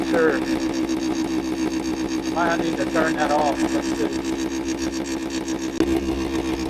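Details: 1973 Suzuki TS250 Savage two-stroke, barn-stored 25 years, carburetor just adjusted with idle turned up, oil leaking at front: fast idle with steady buzz and slightly uneven beat, possibly rich — uneven running, cause unconfirmed.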